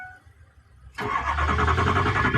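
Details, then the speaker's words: 2004 Ford F-350 Power Stroke diesel, first start after high-pressure oil pump installation: steady rhythmic cranking without firing; hard start, thought to be air purging from the system, owner suspects a bad pump. "Almost. It's getting the air purged. Or they sold me a bad pump again."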